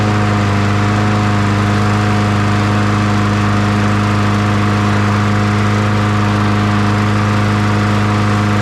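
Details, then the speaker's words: 2002 Murray 20-inch bagger/mulcher with 4 HP Briggs & Stratton, just after first start on fresh fuel with primer working: steady, even single-cylinder drone at constant speed, no misses, surging or knocks; running smoothly. "not bad first pull and that pump, that diaphragm is working pretty good. It stayed running anyway, I guess I should say."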